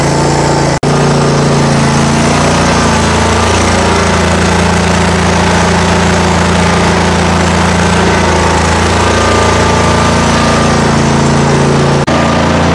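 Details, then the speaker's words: Mower idling just after a cold start at about 30°F, after 5 months on untreated ethanol-free fuel. An even, steady thrum with no misses or knocks; it smoked a tiny bit, then cleared: normal idle. "okay so it started great it did smoke just a tiny bit which is fine it cleared out"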